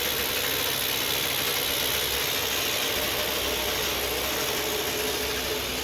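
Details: 2007 Ryobi RY60520 25.4cc two-stroke rototiller, rescued from the dump, restarted with choke at full throttle: high buzzy drone held steady without sputtering or dropouts; normal running.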